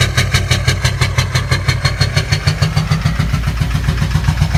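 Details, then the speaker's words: 2006 GMC Duramax LBZ diesel at idle after bad fuel: heavy rhythmic helicopter-like knock about ninety beats a minute with black smoke; one failed injector, found by disconnecting injectors one by one, knock and smoke stopped. "Yeah, you can hear that sound. It's knocking pretty good. It's just sitting at idle and blowing smoke. It sounds like a helicopter."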